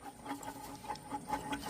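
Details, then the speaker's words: Old water pump removed from a 1995 Chevy Caprice Classic, spun by hand: dry uneven ticking and scraping, about six catches a second, sprocket-like play felt; owner suspects it caused the car's problems, possibly overheating, not confirmed. "But this had like a real funky noise when spinning it. I hear that."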